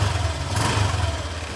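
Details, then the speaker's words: Honda Click 125 V3 scooter after its fuel filter was replaced: the engine starts, idling with a steady, even low thrum and no stumble or stalling, and there are no leaks, so the filter is fitted correctly. "Okay, at try natin itong paandarin guys. Paandarin natin ito hindi siya mamamatay."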